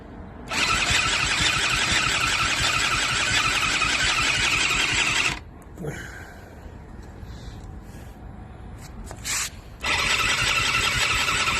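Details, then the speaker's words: Eaton Beamer III scooter during rebuild: starter whirs in two long bursts and engine never catches; ignition coil lead later reads open (no continuity), likely ripped out, so the whole ignition coil needs replacing. "so what that tells me is this chord is no good this entire ignition coil is no good the reason why it was not starting a few minutes ago is because this needs to be replaced"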